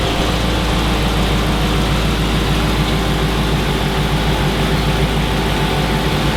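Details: 2006 Chrysler 300 SRT8 6.1 Hemi, first startup after installing a stage 2 cam, valve springs and retainers (intake and exhaust already fitted): deep, loud V8 idle, heavy and even with a steady lope from the bigger cam, running clean.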